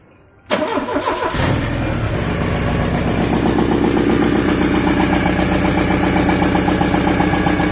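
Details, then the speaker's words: Porsche 944 after cylinder head gasket and cam belt replacement, first start with the rusted exhaust flange not joined: engine catches into a loud, raspy, blatting idle far louder than normal; exhaust leak at the unjoined flange. "Actually, don't worry, but I know it's going to sound like very loud because the flange and the exhaust at the bottom is not joined together because it's rusted."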